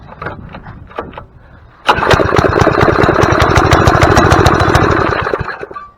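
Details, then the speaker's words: Four-stroke tiller, first start of the year after sitting, pull-started with starting fluid sprayed in: catches and fires evenly about three and a half seconds then dies; spark and movement present but no fuel, carburetor likely plugged. "okay so it did take a little bit so that tells me that i have spark and i have movement but i don't have fuel so good chance is my carburetor is going to be plugged up"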